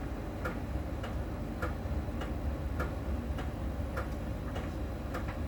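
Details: Miele dryer during drying: light crisp ticks about every 0.6 seconds with each drum turn over a low hum, made by a small ball sensor rolling over the drum's outer surface contact; normal, per Miele technician.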